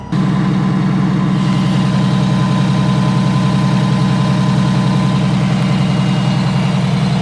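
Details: Allison V730 transmission motorhome diesel at fast idle before revving to 1900–2000 RPM cruise, listened outside at the power steering pump: deep steady drone with a faint thin whine, suspected source of the highway-speed rear-bedroom whine.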